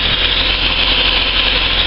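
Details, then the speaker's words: Car just started from cold, running at a raised, busy high idle before it drops; the owner notes the idle dips too low once warm and after throttle blips, prompting a throttle body clean. Cause suspected, not confirmed. "i've just started it up so it's it's running at a high idle but it'll dive in a sec"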